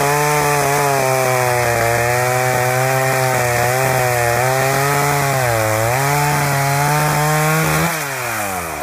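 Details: Husqvarna 61 chainsaw running fast with a popcorn-like popping, about four misses a second: the loose kill switch wire was bouncing in the case and shorting out.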